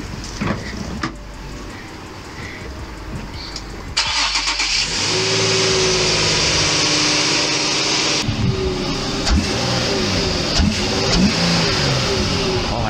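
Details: Infiniti G35 VQ35HR (same engine as V36 Skyline/350Z HR) after serpentine belt replacement: quiet until the engine catches at four seconds, then settles to a steady idle and clean revs with no belt squeal or chirp; normal start and rev.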